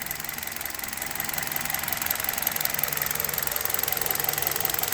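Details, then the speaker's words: Hot Hyundai Solaris idling on Liqui Moly 5W30 after about 2000 km on this oil, with Chinese coil wiring harness fitted: even idle, light quick ticking about three per second from injectors, no knock; normal. "и вот так на холостых работает мотор нет никакого стука на товар стоит нет только стрекочет форсунки"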